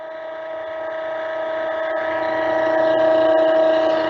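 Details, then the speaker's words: MF 200 cavitation trainer with reservoir oil dropped until the return line is almost out of the oil: steady mid-pitched pump whine swelling louder as turbulence draws air into the system, causing aeration (pseudo-cavitation). "notice in this area here you'll just get a huge amount of turbulence and of course as you well know or maybe not this is going to start creating a air condition that's going to introduce air into the system and you're back to square one back to pseudo cavitation"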